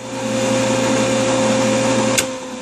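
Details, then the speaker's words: Machine motor on a Baldor 18H vector drive with high DC bus fault: steady hum and whine, click, then fading growl as it spins down, ammeter jumping 0 to 1.0 A; start capacitor discharging back through start windings. "okay zero amps we went up to 1.0 amps that is the capacitor discharge uh bleeding back through the start windings"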